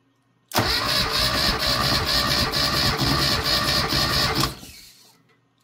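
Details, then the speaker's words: Classic Mini engine, compression test with throttle fully open, cranking until the gauge peaks (four or five cranks): steady, even cranking churn with uniform beats; healthy engine reading about 150–160 psi with near-zero leakdown. "I will just reset the zero on the gauge and crank it over until it basically Peaks usually about four or five cranks"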